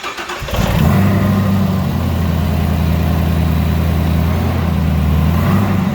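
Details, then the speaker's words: Wrecked 2018 Chevrolet Camaro ZL1, supercharged LT4 V8 with 10-speed auto, full factory exhaust, after fresh oil and filter: starts quickly, settles into deep, smooth, even, fairly quiet idle, no knock or clatter; normal start and idle. "Oh yeah, obviously she's running that, blowers are spinning, and everything sounds pretty good."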